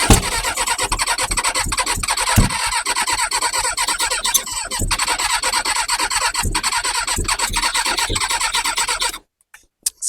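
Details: Kawasaki ZX6R G1 first start attempt on new battery: fast starter churning about nine seconds with occasional backfire pops, never catches; now sparking, owner suspects lack of fuel, possibly too much carb cleaner or clogged jets; cranks but will not start.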